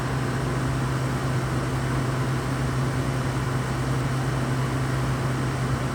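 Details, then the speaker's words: Used, deep-cleaned Frigidaire window air conditioner runs with a steady low fan hum and airflow hiss but no compressor kick, blowing air that is not cold; suspected compressor not engaging, not confirmed. "so right now it's just blowing I wouldn't say warm air but it's not cold it's not cold air and to me it doesn't sell like the the compressor has kicked"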